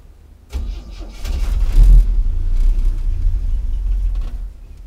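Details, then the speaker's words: 1964 Chevy C10 with 230 inline-six at start-up: it catches and runs with an uneven, lumpy, stumbling misfire, then dies; owner says it will get better. "it just turns off like that. Sounds pretty bad, but it'll get better."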